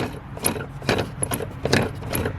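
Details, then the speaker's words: 1988 BMW E28 535is (M30) heater blower motor, removed and spun by hand: a faint, uneven scraping rustle recurs as it coasts, matching the machine-gun noise heard in the cabin. Worn blower motor bearings; motor replaced. "so here's the motor and if we spin it we can still hear that same type of noise that we heard in the cabin"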